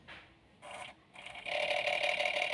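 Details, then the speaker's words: Daihatsu Luxio after tune-up, key turned on without cranking before first start: short buzzing hum bursts starting and stopping with key-on, then a longer steady run; normal fuel pump priming. "Nah untuk pertama kali start jangan langsung diart ya teman-teman ya tapi dikunci kontak on terus diilock kedengaran kan teman-teman"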